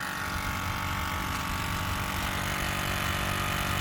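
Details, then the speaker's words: 2007 Ford F350 6.0 Powerstroke, key on, engine off: steady whirring drone that never cycles off as the electric vacuum pump runs continuously chasing a vacuum leak letting fumes into the cab. "All right, so I got the key on. Hopefully you can hear me. That's the vacuum pumping."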